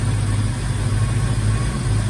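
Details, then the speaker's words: 1990 Mustang GT Foxbody with new engine harness, previously high idle and breaking up at high RPM: deep, even rumble at a steady idle, no misses or surging; running good. "yes it's running good real good"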